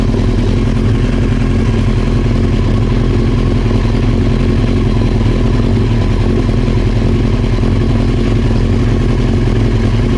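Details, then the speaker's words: Old Honda CBR900 Fireblade with the fuel tap off, running dry: lumpy, uneven running with irregular stumbles, fuel starvation before it dies; mechanic suspects the reported backfiring came from too little fuel on the 'on' position. "there's that sort of noise that you get when you run out of fuel. So we know it's going to die, so let's just switch it to on and see if it..."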